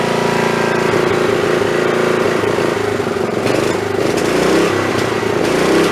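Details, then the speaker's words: Snapper 3018WS riding mower that died suddenly while mowing, running on a spark plug borrowed from a snowblower: rough, uneven running with stumbles and sharp pops. Misfire and backfire; owner suspects the magneto coil is failing. "thank you well that don't sound that good uh that sounds to me like that I took that spark plug out of my snowblower and it was running fine tonight last time I ran that so I'm gonna say that probably that coil is going bad"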